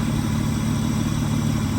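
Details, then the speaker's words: Mitsubishi V6 with a distributor, six-speed: a smooth, even low rumble holds steady with no ticks, misses or rhythm changes. Idle is pretty good and healthy. "All right, that's her idling, which is pretty good."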